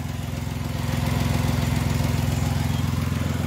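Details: Fiat Argo petrol engine idling smoothly with a steady, even pulse after the valve cover and its diaphragm were replaced; the earlier annoying noise is gone.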